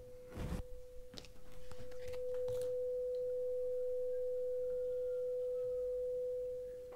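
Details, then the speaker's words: Loewe-Opta Magnet 3737W tube radio (1958/59) with a 500 Hz, 1 V peak-to-peak signal injected at pin 7: a clean, steady mid-pitched tone plays from the speaker without buzz or crackle, so the output transformer is fine. "right great stuff we've got a tone coming out of the speaker that means that our ARA Transformer is fine"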